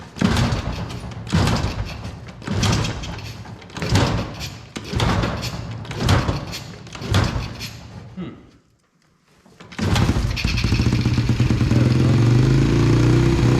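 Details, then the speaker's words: 2000 Yamaha TTR 90 dirt bike after carburetor that had fallen off was refitted, started by kicking; several kick thumps, then it catches and holds a steady idle a little high; fast idle, to be adjusted. "go it's idling a little bit fast"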